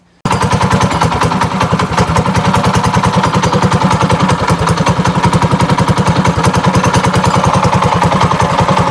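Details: Trike single-cylinder engine that developed a knock: hard, rapid clattering knock at steady speed; owner first suspected fuel, spark or filter, but the cause turned out to be the clutch.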